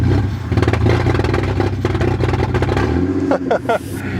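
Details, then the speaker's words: Lexus IS300 with 2JZ engine, started after sitting over a week with a dead, zero-voltage battery; it runs very rough with crackling pops, like a GTI on two-step. Owner suspects too little voltage to power the coils. "there's not enough electricity to [ __ ] power the the coils sounds like a little gti trying to two step"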